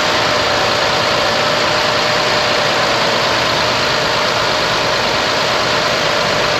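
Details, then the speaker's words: Idle with AC on after front-end harness and fan controller replacement, engine below operating temperature: even fan hiss over smooth quiet idle, fans at part speed rather than blaring loudly as before; normal. "fans are on but they're not at 100 percent yet because it's not up to operating temp but before man you could hear those fans just blaring they were so freaking loud but now it's good"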